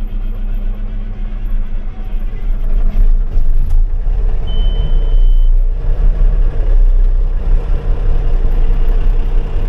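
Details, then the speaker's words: Farm diesel just after its injectors were reinstalled and adjusted: starts clean and settles into a deep, steady rumble with an even beat, no knocks or misses; sounds good, ready to go seeding. "sounds pretty good all right he is good to go"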